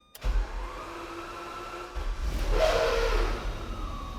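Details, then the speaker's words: Ferrari Testarossa flat-twelve on a cold morning start in the garage: it fires, then the idle lopes and hunts unevenly up and down. This is a normal cold-start quirk that settles quickly. "Now the first the thing with this car is when you first start it cold in the morning, it's pretty dramatic. It'll hunt for its idle, kind of lopes a little bit."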